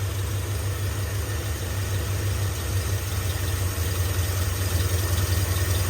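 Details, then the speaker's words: 1978 Ford F-350 parked 11 years, with new plug wires and accelerator pump working: deep, even V8 idle with steady low rumble and no missing beats, settling down; one small fuel leak noted. "they put brand new plug wires on it doesn't sound like it's missing Idol's coming down a little bit"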